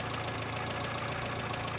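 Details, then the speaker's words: Renault 9 at idle: quick even tapping riding on the engine note; owner suspects worn crankshaft bearings (вкладыши), cause unconfirmed; engine knock at idle. "в общем есть явные признаки стука и мотор мабуть скорее всего вкладыши"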